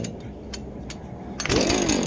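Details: Husqvarna chainsaw, already warmed up: a couple of quiet pull-cord rasps, then it catches on the second pull and settles into a steady, clean two-stroke buzz; normal start.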